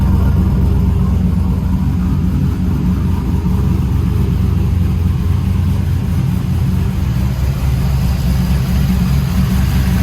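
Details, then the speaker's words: Trailblazer SS with long tube headers and full 3-inch exhaust settles into a deep, loud, steady, even V8 idle with no misses or knocks; still runs and sounds good, not yet driven. "Still runs good, still sounds good. got full 3-inch exhaust on it."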